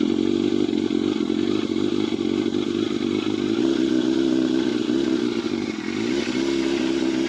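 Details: Yamaha FZR 600, restricted to 47 hp, cold start on choke before de-restriction: fast, steady, even idle beat with a slight dip in revs; normal cold idle on choke.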